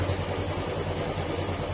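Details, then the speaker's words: Old-model Yamaha Sporty small single, stock engine (not modified), previously quiet but now noisy: busy metallic clatter at idle from the engine itself, separate from the exhaust; cause unconfirmed, engine to be removed from chassis and overhauled. "pansin niyo yung tunog ng makina kalampag siya bukod d sa tunog ng tambutso"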